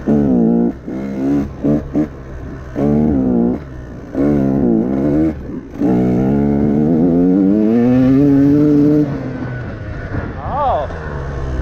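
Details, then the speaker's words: Rich bog on a customer's 2017 KTM 150 XCW two-stroke with a Lectron Billetron carb, after turning the power jet half a turn richer: blipped revs waver and sputter instead of snapping up, rich all the way around; float level possibly too high. "it's a rich bog. So, we went the wrong way. You hear that sputtering? It's rich all the way around."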